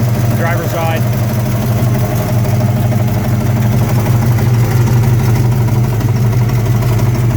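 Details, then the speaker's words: V8 S10 truck with 355 small block, driving: steady low engine drone with a rough uneven knock following engine speed; cause is a cheap flex plate, not the bottom end. "It's going to sound like it's knocking, but it's just that stupid flex plate. I bought a cheap flex plate. Now I'm paying for it."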